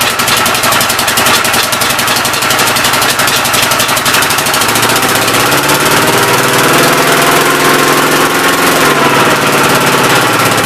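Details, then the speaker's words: Old single-cylinder engine on first start attempt with temporary ignition: uneven thumping with sharp puffs and clatter between beats; owner suspects a leaking intake valve, not hanging open, plans to pull the head and lap the valves. "oh no boys intake valve seems like it's leaking pretty good um it's not hanging open up here"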